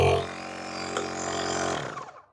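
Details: Aerogogo Zeta 138 SUP pump, a small high-pressure-only unit, run before the nozzle is fitted: a steady, even buzzing hum with no rattle or surging, then it winds down cleanly; the motor sounds healthy.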